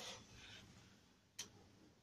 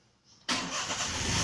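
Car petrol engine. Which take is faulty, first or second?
first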